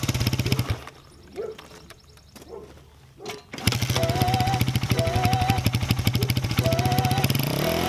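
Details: 1989 Honda XR100 single-cylinder with a new carburetor and throttle cable, both old ones seized. After a few sputters it catches and runs at a steady, quick putter, firing evenly, with music in the background; normal running.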